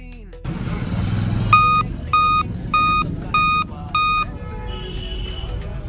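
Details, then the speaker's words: Dell Vostro laptop powered on with the charger connected gives five short, clear high beeps and no display: the five-beep POST error code for a failed CMOS battery. "इसमें beep आ रही है। जैसे कि आप देखोगे कुछ time में तो चार्जिंग मैंने लगाया और इसमें बीप आता है फाइव टाइम।"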